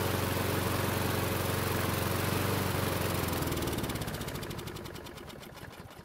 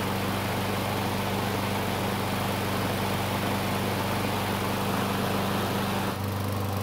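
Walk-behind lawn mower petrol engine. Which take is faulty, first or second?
first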